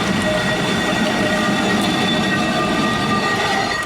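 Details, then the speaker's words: Travel trailer pulling away from a dump station: rhythmic clacking with a thin metallic squeal, traced to a loose wheel hub nut backing off on the trailer axle. "One day we were departing from the Grovant dump station and we heard this strange sound."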